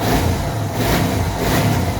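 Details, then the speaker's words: Suzuki DR650 single after new oil, spark plugs, carburetor choke, K&N air filter and UNI secondary breather filter: steady deep rumble with gentle rev swells and no popping or crackle on the overrun; running cleanly with no missing. "It's not really missing at all. It sounds great. Very happy so far with the K&N Air Filter."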